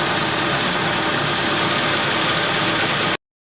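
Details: 2012 Chevrolet Niva after replacing a faulty hydraulic lifter that wasn't rising on the cylinder 2 rocker, which caused a cylinder-head knock: steady, even idle, no ticking or tapping in the top end; runs normally.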